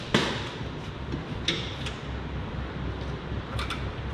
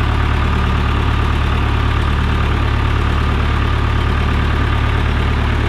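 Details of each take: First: John Deere 455G crawler loader, battery disconnect on, key turned: sharp relay clicks over a low hum, no cranking; 12 volts reach the starter and it still won't turn with a jump pack, so the starter motor has failed. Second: John Deere 455G crawler diesel, cold start after cleaning the ground on the flywheel housing and wiring around the disconnect switch: steady, even low diesel rumble near three beats a second with no knocks or misfires; normal healthy idle.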